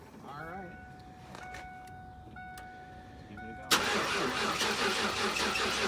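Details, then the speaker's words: 1994 Mustang GT convertible automatic from Copart, first start after fluid checks: a few chimes then the starter cranks slowly at about two to three beats a second, sluggish; owner suspects a weak battery, will try charging. "okay so that battery sounds a little sick we'll try to charge"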